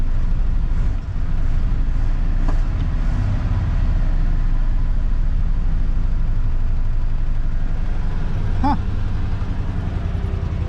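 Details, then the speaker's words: 1983 Ford F-150 XLT, 5.0 with overdrive, freed-up after being seized, running about three minutes with choke on at fast idle; steady even low rumble, no knocks or misses, oil pressure holding, charging, power steering working; normal fast idle. "I still got the choke on but it's staying alive and watch this see the wheel got power steering and Sam's gonna take a joke off just moved out it's all fast idle right now"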